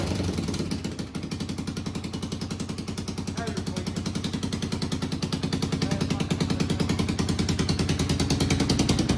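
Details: 1991 Honda TRX250X quad barn find, motor reassembled and timed, carburetor refitted, fresh fuel, exhaust leak mostly fixed: rapid, even single-cylinder putter, about three beats a second, rising in pace and loudness; idles and picks up cleanly.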